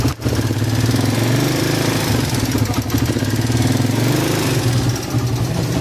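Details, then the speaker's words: Suzuki Raider 150 single pushed in from Tagaytay, tested at the shop before repair: steady idle with a light, fast tick riding over the exhaust beat; ticking noise, cause not yet found. "Tulak yan? Yan, kung marinig niya yung lagitik."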